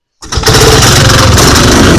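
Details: Vintage snowmobile two-stroke after replacing the stuck stock carburetor inlet needle and priming fuel: fires right up, steady even buzz with no misses or surging. Normal running.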